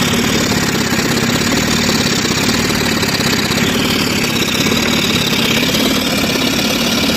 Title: engine oil spraying. engine jerking or misfire.